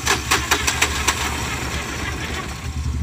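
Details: Mahindra Maximo after cam sensor replacement: brief crank, catches and settles into steady even idle, no misses or knocks; starting trouble was faulty cam sensor (no return signal despite correct 5 V and ground wiring), now starts normally.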